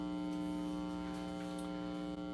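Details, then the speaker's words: Marshall JCM800 Lead Series tube amp after power supply repair. Loud steady low mains hum with a buzzy edge, traced to the faulty second preamp stage; the hum disappears when that preamp tube is pulled. "I'm turning it up loud enough so you can hear it hum here we go we've got a nice hum"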